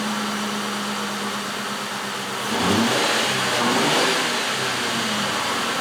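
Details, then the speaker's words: 2000 Ford Crown Victoria with coils and plugs reinstalled: idle stumbles unevenly with a throttle blip. Two front cylinders on one bank are misfiring. "so we got two of them that are misfiring and there are the front ones on this side so let's keep going"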